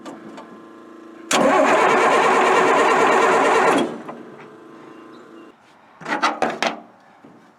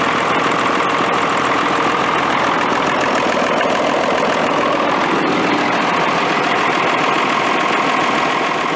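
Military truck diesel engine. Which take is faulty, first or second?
first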